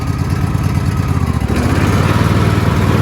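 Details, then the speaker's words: Cub Cadet LX42 XT2 Enduro lawn tractor, model 13AZAICS010, fuel-injected Kohler twin-cylinder engine, 42-inch deck, restarted and blades engaged: steady low thrum that firms up as the blades bite in, even beat, no knocks; running normally under load. "I have to push the clutch in, hit the button, start it up. Okay, so I'm going to engage the blade."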